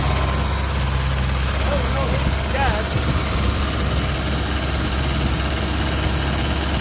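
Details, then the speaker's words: 1973 Ford Mustang 302 V8 running for the first time in 10 years after fuel pump work: a deep, steady, even idle with no knocks or misses. A fuel leak at the front was found afterward. "wow hasn't ran in 10 years are you happy supervisor yeah good look at that now not that I can see unbelievable especially idling pretty well as well considering yeah"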